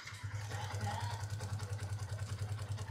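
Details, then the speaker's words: Y15 motorcycle at 14,597 mileage, left idling with no throttle before a top set: quick, evenly spaced light ticks over a low steady idle hum; loud tappet noise from loose valve clearance. "By the way, kalau bunyi tepet kau jangan rem. Kau biarkan idle, kau dengar bunyi dia. Okay, itulah bunyi tepet."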